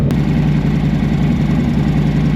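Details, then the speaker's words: 2024 Harley-Davidson Road Glide M8 after Feuling cam and new exhaust: steady, even V-twin idle with deep lopey exhaust beat and no top-end tapping; valve train noise dropped immensely after the cam install. "The valve train noise has dropped like immensely. That was just like a little 10%. Sounds good."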